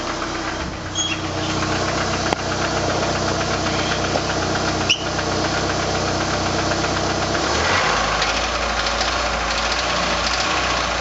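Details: 1989 PGT with suspected rod knock; loose, fairly quick knock about four a second, not very even, over a steady running engine, possibly bottom end.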